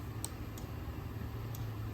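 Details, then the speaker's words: Skyjack 4632 scissor lift with platform raised, set to drive: faint sharp clicks about four in two seconds over low hum, drive never engages; no drive while elevated, cause unknown. "I don't know if you can hear it clicking but it's clicking it's drying"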